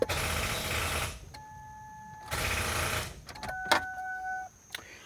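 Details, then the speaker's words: Vehicle that won't start, fully charged jump box connected: two bursts of fast chattering, each about a second, when the key is turned, with chime tones between and no cranking; cause unknown. "nothing here that it sounds very strange I turn the key off is it this you"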